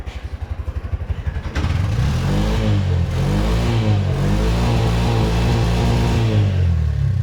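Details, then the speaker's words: Bajaj BS6 2023 single-plug auto-rickshaw, 10 months old, with CNG starting trouble: after correcting tight valve clearance, the starter cranks about two seconds, it catches, revs briefly and settles into an even, quiet idle; valves sound properly set. "Setting ಮಾಡ್ತೀನಿ. ಇವಾಗ correct ಇದೆ. ಸ್ವಲ್ಪ silent ಆಗ್ತಾಯಿದೆ sound."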